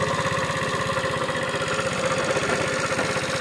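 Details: Neglected Tao Tao scooter after sitting for years, idling: fast steady ticking knock over the exhaust putter; top end suspected worn, replacement cylinder, piston, wrist pin and gaskets on hand; cause not confirmed.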